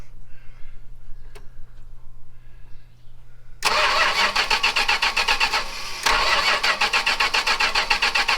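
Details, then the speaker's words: 1974 Chrysler New Yorker 440 big-block V8 with no key in the ignition, tumbler turned by hand: a quiet hum, then the starter cranks at about four beats a second without firing. The ignition switch isn't feeding the coil, so it cranks but won't start. "Probably because there's no flipping key in it, doesn't help."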